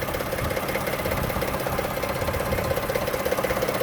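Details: Toyota Sienna at idle with a light, regular ticking about two to three clicks per second, going on for months and coming and going. Possibly from the top end or a pulley; not pinned down. Clicking at idle.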